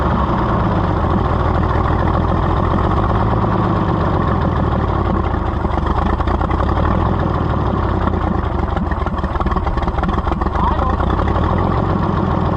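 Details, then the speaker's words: Oliver 70 tractor after a carburetor rebuild, run with a little choke: steady, strong, even low chug with no misses or stumbles; carburetion sorted, running healthy. "there we go almost it runs that good we fought and fought and fought with that carburetor but if that's what it takes to be a runner why it's worth it"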